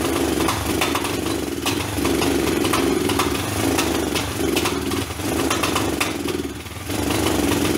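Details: Kawasaki basket-case motorcycle on its first start after rebuild work: uneven, lumpy running whose beat rises and sags about every second. Owner thinks the engine is out of time. Rough running.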